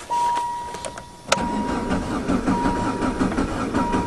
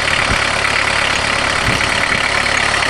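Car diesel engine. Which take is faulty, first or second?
first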